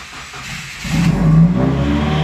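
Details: Tuned Subaru WRX on E85 flex fuel (about 79% ethanol), started after sitting about a day at 51–52°F. The owner reports recent cold-start stalling, but here it cranks, catches first try and idles steadily. Normal cold start.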